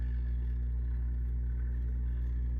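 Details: 1936 Grunow Teledial 1297 tube radio, previously overhauled: only a steady low mains hum on all bands, no station or static. The amp rings in the speaker, and the cause of no reception is unknown.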